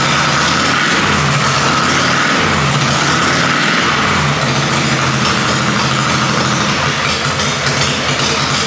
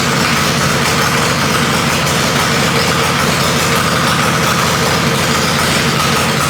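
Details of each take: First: Harley-Davidson Panhead chopper V-twin after top-end rebuild, timing being set; loud note turns rough and labors when throttle is added, stumbling instead of picking up; owner thinks too much advance and takes timing out. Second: Harley-Davidson Panhead chopper after a top-end rebuild, idling after ignition timing was retarded slightly: steady, even V-twin drone with no misses or popping, running smoothly and sounding better with the timing change.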